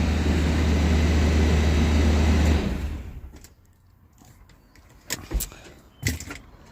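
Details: Range Rover Sport supercharged V8 (right-hand drive) after starter replacement: deep, even rumble settling into a smooth, steady idle with no misses or knocks before shutoff. Normal start and idle.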